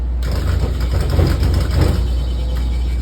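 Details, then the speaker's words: Electro Freeze soft-serve machine on a food truck, 3-phase correctly phased, one barrel put on clean: deep motor hum with heavy clunks about every half second until it reaches speed; contactor chattering suspected, unconfirmed. "When I put it on clean, that clunk clunk until it hits its rotations."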